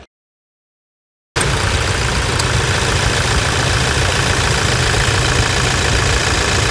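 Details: 2018 Toyota Hilux 2.8 1GD diesel, after decarbonization and a new high-pressure fuel filter for fault code P2008, idles with an even, steady clatter, about four beats a second, with no misses or knocks; running healthy after repair.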